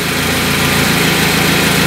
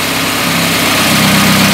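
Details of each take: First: Carburetted car on LPG after reducer membrane and idle adjustment: a steady, even idle with no hunting, misses or surges. The engine runs smoothly and stably on gas. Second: Carbureted petrol car with second-generation LPG kit, running on gas with the reducer warm, as the reducer is leaned. Steady idle whose tone sags and shifts. Revs start to fall from a too-lean setting.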